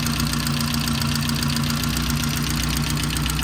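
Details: 1988 Saab 900, first start after sitting, fluids unchecked: fast, fairly even light ticking near four per second over rough low idle from the top end; owner suspects lifter tick, also exhaust leak. Ticking at idle.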